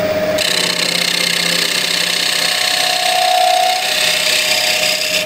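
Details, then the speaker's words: Cherry wide-rim bowl blank on a wood lathe, after truing: smooth unbroken hiss of the gouge cutting with no knocking. The knock came from the wobbling, out-of-true blank and turns steady once trued. "you hear the knocking sound here and when I get close to round oh sorry true you'll see more of a steady sound"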